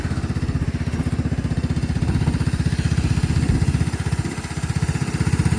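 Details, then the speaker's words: 1999 Cub Cadet HDS 2135 riding mower just after a cold start: steady, even low thumping with no stumbles or misses; idling cleanly and healthy. "Listen to that Cub Cadet purr. That was on the cold start too."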